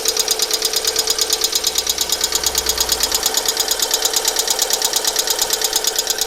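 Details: Alfa Romeo 147 1.6 Twin Spark 120hp at idle, started two days after an oil change with 10W40 and an engine flush: sharp, even ticking about three per second; fixed by replacing all 16 hydraulic lifters.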